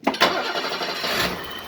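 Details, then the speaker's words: 1980s BMW 635 CSI E24 coupé, M30 petrol six, restarted after years in a barn, after rocker clearance set to 0.20 mm: short crank, then catches and purrs smooth and quiet, far less noise, no top-end ticking. "Ah bah oui, beaucoup moins de bruit là. Ah oui, rien à voir. Là, ça ronronne comme un 6 cylindres, enfin."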